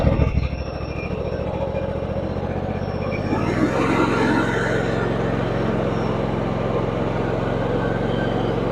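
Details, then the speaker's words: John Deere X320 riding mower, 513 hours, after sitting for a couple of years: small single-cylinder engine catches and settles into a steady, even run with no knocks or misses; runs great. "yeah so it runs great it sounds awesome like I said 500 and 500 and 13 hours so runs great"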